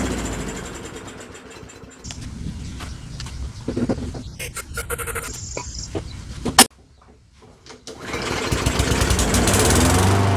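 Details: Curbside Poulan Pro mower, Briggs & Stratton 550EX, said to have a broken piston, started on ether: uneven, stumbling putter that surges and nearly dies then recovers, smoking heavily; rough running, too much oil, carb needs cleaning.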